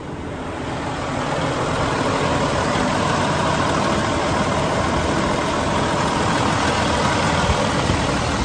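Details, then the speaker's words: 2012 Western Star 4900FA with a DD15 diesel (475 hp, 13-speed manual) at raised idle. Smooth, even rumble and clatter with no knocks or misses. Normal high idle. "Now, let's go out and have a listen to the engine running. I'm going to idle it up. There's our idle."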